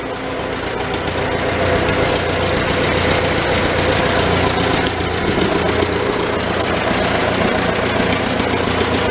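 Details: Old Farmall tractor four-cylinder idling in neutral inside a tight, smoky shed with the muffler cap removed, just after starting on choke; slow, fairly steady beat with some roughness but no real miss. Normal idle, running not too bad.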